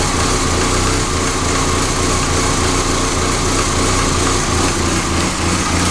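Idle thumps along unevenly with an irregular, stumbling low beat rather than a smooth steady run, so the engine is idling rough.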